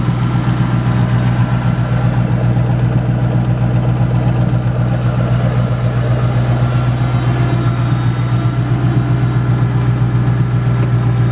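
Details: Single-turbo 5.4 with head work by Modular Head Shop, just started in the driveway: a deep, even burble at idle with a steady rhythm and no knocks or misses. Tame-sounding but said to be very fast; a normal, healthy idle.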